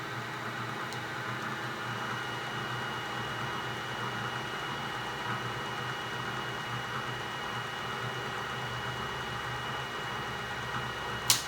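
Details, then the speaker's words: Old Bridgeport 1J 9x42 vertical milling machine back in high gear with the quill power feed engaged: steady even motor and gear hum, faint constant high whine, no knocks or grinding; quill feed working normally. "Back to high gear. We'll do the quill feed."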